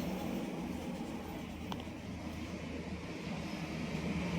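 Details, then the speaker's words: Honda RS150 idling quietly and steadily, with an even hum and no ticking or knocking from the top end. The earlier knocking was traced to a damaged timing chain and chain guide after the tensioner was adjusted. "Okay. Balik na natin. So, tahimik na"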